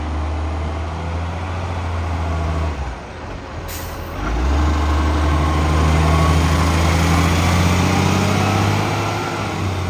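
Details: Tea Tree Gully garbage truck, diesel: deep, loud drone with fast, steady puffing about 3-4 per second and sharp air brake hiss; exhaust leak.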